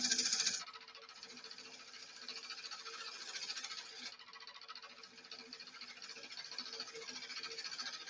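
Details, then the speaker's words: Woodturning lathe with many hours running while turning a shallow pine bowl: dry uneven rattle and faint hum from a worn headstock bearing that needs service. "yeah the sound that you're hearing is the bearing is starting to make a noise this it needs uh service done a lot of hours this slave"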